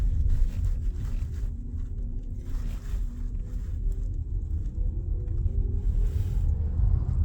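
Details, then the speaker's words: Tata Harrier EV AVAS pedestrian warning sound, a soft steady low hum over road rumble at walking pace, a government-required feature that stops above about 20 km/h and can be switched off; not a fault. "यह actually government regulations के लिए है कि आपको यह feature देना है।"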